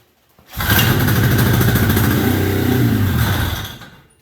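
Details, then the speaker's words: 1973 Columbia snowmobile two-stroke, carb cleaned and rebuilt, tank cleaned, new fuel lines, temporary tank: catches and buzzes about three seconds then fades and dies; can't keep drawing fuel, crankcase-to-carb pulse line was left off. "But it runs. You can see that. You're still in view here. But I can't keep it drawing fuel up into the carb, so I'm just wondering if this is, the center one is the"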